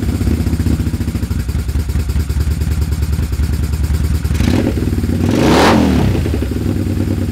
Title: poor idle, misfire left cyl.